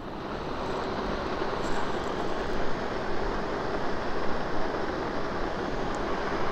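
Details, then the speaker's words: New Broan NuTone 60-CFM bathroom fan upgrade-kit motor running on the bench, out of its housing: steady, smooth airy whir with no rattle, tick or rubbing; the motor runs quietly and sounds healthy. "doesn't sound too noisy on the ground and the new one let's try that old one again well the motors themselves are very quiet"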